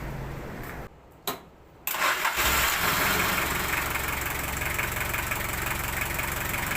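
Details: Engine started right after an oil change using 5 units of oil: short crank, catches at once and settles into a steady, even idle with no knocks or misses. Normal start and idle.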